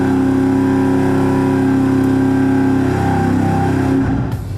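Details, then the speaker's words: V8 on the dyno after carburetor-to-EFI swap, cold and still learning, with fast idle: loud steady high-rev drone with a slightly uneven, lumpy beat. Mild misfire, cause unknown. "The issue we're having right now is that it sounds like it has a little bit of a misfire."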